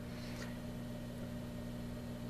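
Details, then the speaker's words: Litter box vent blower run through a light dimmer switch, on for about three hours: steady low hum around 100–200 Hz, switch vibrating and buzzing though not warm; a fan speed control is planned as the replacement. "but it does vibrate and it does buzz so i think what i'll do is i'll pick up a fan one and pop that in there when i uh get a chance"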